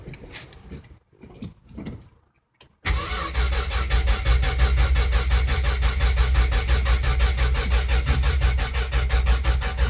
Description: Slant six 74 swapped out for 72. Not starting